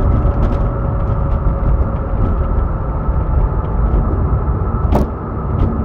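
Constant thin whine sitting above the low engine rumble, not changing pitch; source of the high hum not yet found.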